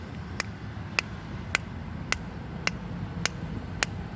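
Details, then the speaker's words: 2005 Jeep Grand Cherokee Limited while driving, after new wheel bearings and CV axles: sharp high-pitched clicks about twice a second over road rumble, speeding up with wheel speed, straight or turning; owner identifies CV axle click. "and the faster you go, it sounds like somebody's a high-pitched click. And that's your CV axle."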